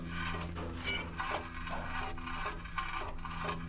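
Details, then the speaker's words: 2006 Honda Accord EX 2.4L, wheel spinning, faint scraping swish repeating about once a turn; brake heat shield had moved against the front rotor, found and now clear. "it sure sounds like it's rubbing the heat shield, don't it? All right, I found it without taking the wheel off. It was down here in the corner. The heat shield had moved against the rotor."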